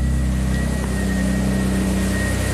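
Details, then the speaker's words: 2005 Audi A4 with 2.7 turbo V6 swap, crank no-start fixed by jumping key-on power to the ECM fuse feed wire: steady even idle with faint constant high whine, runs smoothly; pulling the jumper will shut it off. "And if I pull my jumper out, obviously it'll shut off."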